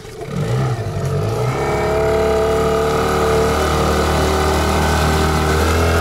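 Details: Yamaha two-stroke outboard (8 or 15 hp) in a 92 vs 95 petrol test: quick wind-up, then steady high buzzing drone at full throttle, smooth and even, no misfire; normal full-throttle running.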